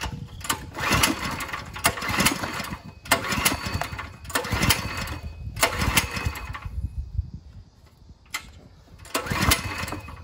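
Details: Ryobi 3100 PSI, 2.5 GPM pressure washer with a 212 cc idle-down engine, no pump fitted, on choke with fuel open, yellowish fuel; ragged bursts that surge, fade and catch again unevenly, unable to hold a run; clogged carburetor starving the engine.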